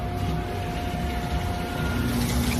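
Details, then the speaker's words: Champion UH300 M4-series undercounter commercial dishwasher with cold water feed, after power switch turned off; rinse pump draining tank through diverter valve to floor drain, steady hum with thin constant tone over low rumble, some audible cavitation; normal drain cycle. "Now we're going to turn the switch off. Cuts the power. And now the system is going to say, "Okay, I'm going to drain.""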